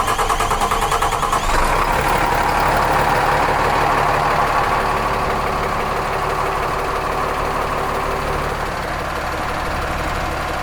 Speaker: all right, she's running. Question one is, are we losing fuel?